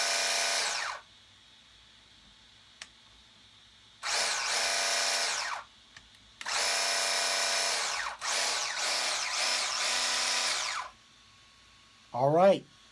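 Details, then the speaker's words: RC Sweet Tooth truck after fitting new motor and replacement gear set (old gears didn't fit), motor wires swapped; smooth high-pitched motor whir in short throttle bursts, no longer the crack noise of gears rubbing and grinding; normal gear mesh. "but it doesn't make that crack noise it's not it's not rubbing up against the other gear and grinding gears it's not great doing"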